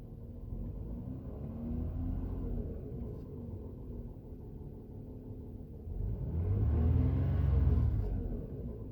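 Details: Lexus RX330, 3MZ engine: a low rumble with a faint rapid knock, about three to four a second, swelling with revs, heard more in the cabin on the driver's side than under the hood; present for 1.5 years, fuel use normal, no oil burning. Engine knock.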